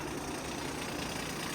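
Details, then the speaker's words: Via Motors VTrux, low mileage, V6 engine with front clutch driving generator; at idle as the clutch disengages, a loose busy rattle over the engine, diesel-like, not an exhaust leak; generator clutch rattle at idle. "Okay, that's not an exhaust leak. All right, so that's about as loud as it gets. At idle, it sounds almost like a diesel."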